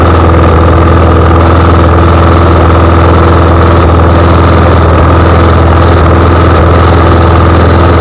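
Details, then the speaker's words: John Deere JS20 variable-speed self-propelled walk-behind mower, engine in good shape: loud, constant drone with a steady firing beat and a faint high whine, no misses or surges. Running fine. "so yeah I guess what I'll do now is just start it up for you guys let you guys hear what it sounds like"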